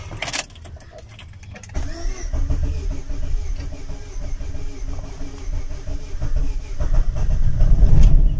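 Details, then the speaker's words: Opel Astra cold start after sitting a long time, using a borrowed battery: the starter churns briefly, then the engine settles into a steady, slightly fast cold idle that evens out. The fast idle is normal because the engine is cold. "sin ningún foco prendido, obviamente acerado porque es normal, porque está frío después de mucho tiempo."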